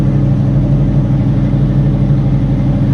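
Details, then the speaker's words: Carbureted Fox body with two chambered Flowmaster mufflers (2 or 2.5 inch, owner unsure), cold start, still on high idle before warm-up: steady deep even V8 burble at raised idle, no knocks or misses; healthy cold fast idle. "got you guys a cold start take it off the uh high idle here in a few seconds and then just let it warm up"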